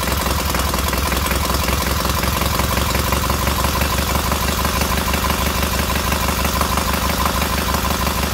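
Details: Freshly rebuilt K750 twin on first start-up, after a minor ignition fault stopped an earlier attempt: even putter at a steady idle, both sides firing regularly with no misses or rattles and heating equally; healthy normal idle.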